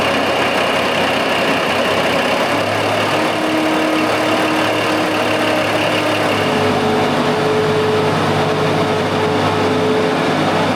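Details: Big Bud 600 tractor diesel, high hours, owner thinks it makes about 550 hp, first startup of the year, not yet building air pressure: smooth, even, deep steady drone with no knocks or misses. Normal diesel running.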